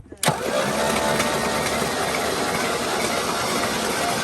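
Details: 1984 Fox body with 40k original miles, sat 20 years, after cleaning bad connections, Marvel Mystery Oil in cylinders: sharp click then steady strong crank at even pace for four seconds; starter and battery turning it over fine.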